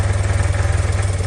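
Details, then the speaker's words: 1976 BMW R90/6 twin, largely original, after sitting five years, idling cold at 28 degrees on choke: steady, even low thump, no misses, knocks or excessive smoke; only a slight seat rattle. "bike running. Sounds good. Idle's nice and smooth. This is with the choke on. Like I said, it's very cold right now. It's 28 degrees."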